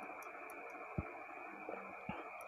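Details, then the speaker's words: Burnt contacts in a JQX15F-4 220V AC relay rated 30A, long in use; two sharp clicks over a steady hum as the coil pulls in, but the burnt copper leaves a gap so the current doesn't connect. "Well, because it's been used for a long time, there's something burnt here, so it causes a gap, so when the relay plays, the current doesn't connect, friends, from the computer."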